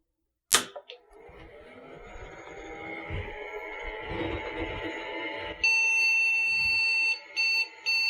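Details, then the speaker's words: IBM 5150 PC during refurbishment, powered on with the hard drive and controller card fitted and no keyboard: the drive spins up, then a long beep and short beeps; POST errors 2055, 2011 (possibly bad memory) and 301 (keyboard). "still don't have a keyboard plugged in not sure if it's supposed to sound like that but 2055 2011 301 I think 301's the keyboard error"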